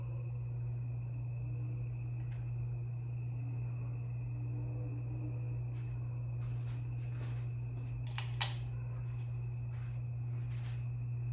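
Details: 52-inch Harbor Breeze Lakeside II ceiling fan, polished brass, before restoration: a bad capacitor limits it to low on all three speeds. Steady low electrical hum, no speed change, little airflow noise.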